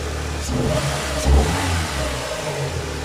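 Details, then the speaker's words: Renault Clio 2 1.6 16v 107 hp petrol engine, freshly fitted with a new exhaust manifold and intake, not yet mapped. A quick throttle blip rises cleanly and settles to a steady idle with no rattles or leaks; it sounds impeccable. "Donc comme je disais, le bruit. Franchement, impeccable. C'est juste ce qu'il faut."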